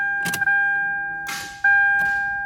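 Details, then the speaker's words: 1999 Toyota 4Runner SR5 4WD with an intermittent starter fault. A few sharp, weak single clicks with no cranking sound over a steady dash chime. The starter is failing and only clicks intermittently. "i wanted to show you the starter was first clicking only that like a weak click or it did even nothing"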